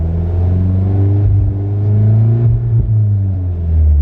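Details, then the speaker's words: VW Golf GTI with a big turbo on the standard map: revs climb, then it stumbles and cuts out briefly a few times as boost builds around third and fourth. Misfire under boost; owner suspects fuel starvation, unconfirmed. "basically when it's coming on boost so i just i just don't know if it's a lack of fuel because of the big turbo on the standard map"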